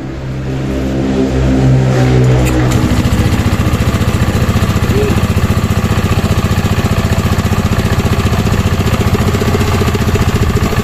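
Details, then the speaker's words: Euro Griffin 180i (Aerox V2 style) scooter with slim air funnel air filter box cover and carbon panel installed: even low throbbing idle with deep, pronounced intake sound from the air panel; normal idle with louder intake note. "Yan yan yung tunog niya kasi natunog siya ngayon kasi naka-air panel."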